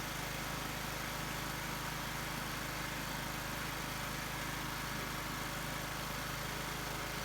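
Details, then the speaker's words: Husqvarna YT 21 HP lawn tractor, will-it-run test with choke on and air filter removed, just started: steady rapid even putter with no misses or knocks; normal idle. "Well, that wasn't bad. It's running."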